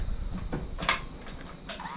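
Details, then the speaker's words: Exmark Turf Tracer EFI mower with Kohler ECV650 twin-cylinder engine, key-on after replacing the leaking fuel pump: short electric buzz with light clicks and thin whine as the new pump primes normally; pressure not yet checked. "oh sounds like it works"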